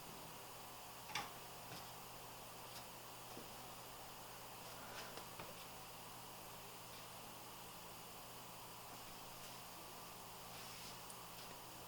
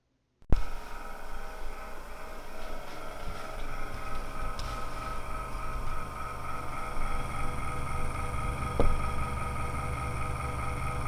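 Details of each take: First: Corsair CX430 power supply after repairing its loud tractor-like fan: soft, even airy hiss with faint low hum and a few stray ticks, no rattle; fan runs quietly, though it visibly wobbles slightly. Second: Corsair CX430 power supply with a worn, wobbling fan making a loud tractor-like noise before repair: constant droning hum with low rumble and steady tones; noisy PSU fan, actual sound louder than recorded.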